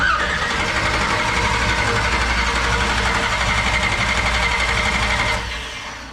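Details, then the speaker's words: 1969 Camaro with 496 big block, first start: steady starter cranking at about four turns a second for five seconds with no firing; carburetor still dry, fuel system still priming. "we don't have fuel in the carburetor yet so it's going to have to prime the whole system"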